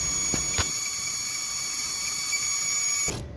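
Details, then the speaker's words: Maruti Suzuki Alto idling with belts removed: steady high-pitched chirping whistle and high rpm from air sucked in at an intake manifold leak; fixed by sealing the manifold with bond. "तो दोस्तों engine के अंदर pressure से हवा जाने के कारण यह चीची चीची करके आवाज आ रहा है और आरपीएम भी हाई है।"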